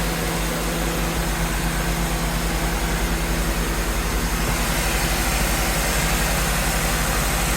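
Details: 2011 Acura CSX idling with AC on after a new compressor clutch kit (same kit as Honda Civic Si) was installed over an intermittently working clutch: even steady idle, smooth low compressor hum, no clatter, squeal or grind; engine and AC fine.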